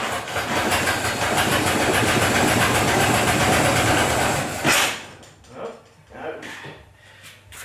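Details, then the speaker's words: Ford Model T cold start on a warm day: fires and runs rough and fast about five seconds, then cuts out and coasts to silence; spark advanced too quickly, stalling. "Advance the spark too quick let's have another gu"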